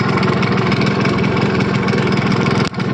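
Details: Yamaha RX100 two-stroke motorcycle, first start after 10 years in very poor condition: hard ragged, uneven buzz, then a brief stumble near the end; running rough. Wiring issues noted; cause suspected, not confirmed.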